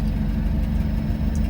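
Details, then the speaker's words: Potterton Promax HE Plus SL condensing boiler on an S-plan system with 2 zone valves, heating running: a low, steady rumble with a rough edge under the hum. The circulating pump bearing is wearing out, and the pump needs changing. "So you can hear the pump's a bit rumbly. The bearing's going on that pump, so that's going to want changing."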